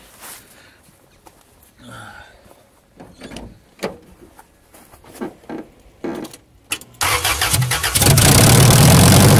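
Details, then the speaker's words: Toyota Tarago/Previa/Estima (TCR11) van started with no exhaust fitted, mid catalytic converter replacement: after quiet handling the engine fires into a loud, raw, deep rumble; loud open exhaust. "But anyway, I wouldn't consider this video complete if I didn't start the van with no exhaust to hear what it sounds like."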